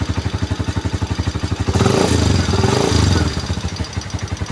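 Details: Motorcycle after fixing an intermittent CDI by fitting a Liwa unit: steady, even firing pulses at idle, a brief clean rev and return, no misses or clatter; the bike runs properly.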